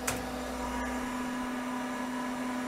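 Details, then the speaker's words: 1980s CDC Finch 8-inch hard drive just spun up, running its self-seek test and then sitting over track zero: steady, even hum with only a faint click, no scraping or grinding; normal head seeking. "it did it self seek test it sounds good it's sitting over track zero"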